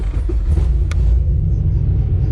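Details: VE with a big V8 said to make 525 rwhp, just fired up with the pump winding up and still not road-driveable: a deep, steady low rumble with an even beat and no knocks or misses; it idles cleanly.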